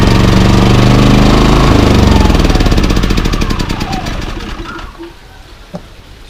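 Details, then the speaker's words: Bailiy 3700 W remote-start portable generator, unused over a year, after carb cleaning and a new spark plug: engine pulses unevenly about four times a second, surging on eco mode and still a little rough with eco off; old weak plug or bad gas suspected. "you guys can hear it it's surging on eco mode and even with eco off it's still running a little rough"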